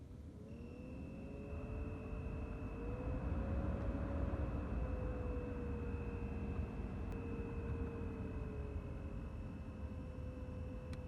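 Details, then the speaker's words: BMW 3 Series F30 heater/AC blower motor: fan rush with steady high whistle and wavering squeal from the faulty motor, before removal, lubrication and reinstallation. "а я нахожу все автомобили в третьей серии кузов f30 неисправность свистит скрипит мотор вентилятора отопителя"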